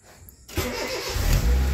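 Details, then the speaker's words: Honda City i-DSI after fuel pump replacement (burnt pump connection had stopped it starting, no error code): brief crank, then engine catches quickly and settles into a steady low idle, normal start. "Goods na start. Tingnan natin kung mag-RPM siya. On. Alr, umandar na."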